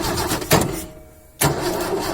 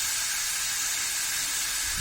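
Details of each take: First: 1972 Ford XY Falcon 4x4 ute, factory four-wheel drive, cranks briefly, catches and settles into a smooth, quiet, even run with clean rev rises and falls, no visible smoke; healthy start and run. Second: Rare 1972 Ford XY Falcon factory 4x4 ute being moved off a jack: loud, steady, high-pitched hiss of escaping steam ("kettle action") with no engine running. Coolant is boiling over; water may be poured on.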